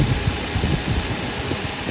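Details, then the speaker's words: Nissan Cima Y33 VQ30DET after alternator replacement, belts and fan checked straight: steady, even idle with a smooth low hum and no high-pitched whine, which it made before when the old alternator died; sounds healthy. "Fan is straight as well. Yep. Sounds really healthy. It sounds normal. Before, when my alternator died, it's going on really high pitched."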